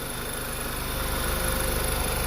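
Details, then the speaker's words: VW Mk6 after a cylinder 3 misfire from a bad injector; the intake was pulled, heavy carbon cleaned and the injectors cleaned. Now a steady, even petrol idle with regular firing, no misfires or bouncing; the engine sounds healthy. "but right now we're all good no misfires cars running a nice cars not bouncing so as of now we are all good man"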